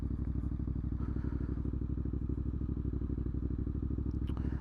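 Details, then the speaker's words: Warmed-up Triumph Scrambler 900 fuel-injected twin on a short ride in a cold UK January: steady, even exhaust beat with no hunting or surging; fuelling smooth, normal warm running. "and because I've let the bike warm up is absolutely fine no hunting or surging in the fuel very"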